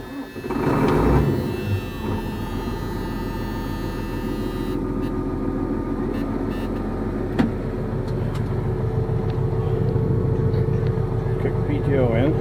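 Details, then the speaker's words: New Holland 900 harvester first run after rewiring the control box: steady churning rumble with a thin chirping squeak over it. "all right let's put the roller in right now we're squeaking"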